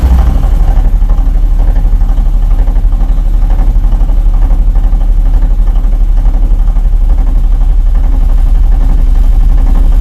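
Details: Knock near the propshaft between engine and gearbox, after a CV joint was replaced by a U-joint; neither U-joint has play. Regular knocking about four per second, present at idle and growing under load in 5th against the brake; source unclear, gearbox play suspected.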